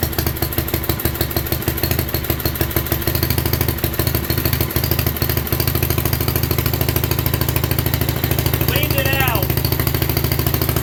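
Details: 1967 Unico 7hp tractor, single-cylinder, first run in 27 years (since 1995) after carb clean and rebuild, fuel valve left open: rapid even popping around 200 beats a minute, holding steady; normal idle.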